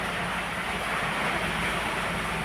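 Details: Maruti Wagon R K-series petrol, at the tailpipe after repair of misfire, jerking, low pickup and mileage complaint; even steady exhaust rush, earlier tak-tak tapping when blocking the silencer now gone, all cylinders firing cleanly.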